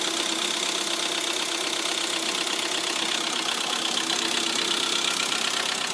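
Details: Lada Priora idle: quick, steady light ticking about three per second above the idle hum; hydraulic lifters, two found failed after repair.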